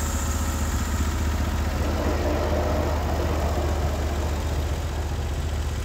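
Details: Norwood HD36 v2 bandsaw mill with new roller guides replacing ceramics, cutting big black oak through the bark: deep steady engine drone under load, even pulse, no squeal or knock; cut exceptionally smooth, normal.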